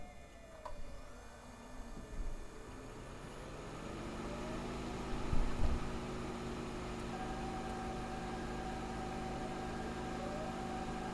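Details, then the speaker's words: Toyota hybrid with a 2.5L engine, recorder inside the engine compartment, shifting from reverse into drive: quiet electric drive with faint motor whine, then steady layered pedestrian warning tones start; normal hybrid operation. "And then when I shift into drive, you will hear that pedestrian noise start."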